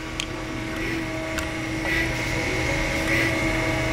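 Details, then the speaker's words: Bridgeport Harig 618 EZ Surf surface grinder, 1.5 hp spindle wired 230 V, running a surface grinding program; steady even hum with faint constant whine, no knocks or grinding; spindle and slides running smooth and quiet, normal. "It's got a new CRT assembly. It's running a surface program right now."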